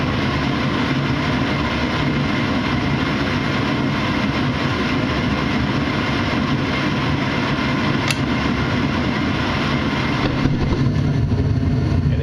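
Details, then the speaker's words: Furnace blower fan running after the inducer, igniter and flame have come on; a steady deep rumble of air with no rattles, scraping or surging, and everything on the furnace working normally. "Every manufacturer is different. Your fan will come on. All right. So, that's the fan came on and ran. So, everything on this furnace is working fine."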